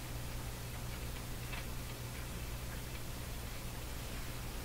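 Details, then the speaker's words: Philips Model 922 tube radio at first power-up before restoration: constant rushing hiss over low mains hum with scattered faint crackles; static, owner suspects a loose tube socket pin, not confirmed. "turn it up a bit I don't like the sound of that static"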